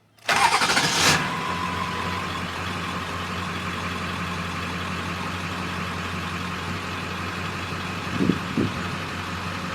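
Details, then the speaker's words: 2002 Ford F250 7.3 Powerstroke diesel started after glow plugs cycled: starter catches quickly, then a steady, even idle with a smooth low rumble and no knocks or misses; normal healthy start and idle. "here it's got a nice healthy idle"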